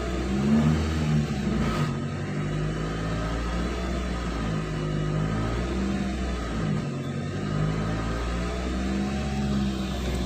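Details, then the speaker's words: Nissan X-Trail T30 petrol engine after tune-up, idle swinging between about 1000 and 2000 rpm: revs slowly swell and sag every couple of seconds during idle air volume learning via scan tool; manual idle relearn had failed. "ya ini posisikan idealnya pada saat Idol tapi indahnya ini lagi naik turun ya"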